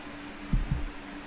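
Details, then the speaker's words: Daven Aqua PC case with ABKO T240 Tethys AIO water cooler; radiator fans on a non-PWM header run at full speed, giving a loud, steady high drone with a few low thumps, far too noisy. "아 자 연동에서 잘 도는데 문제는 라디에이터 펜에서 소음이 어마어마하게 나오네요 구성을 하면은 실패인 거 같네요 펜 스피드가 장난 아닙니다"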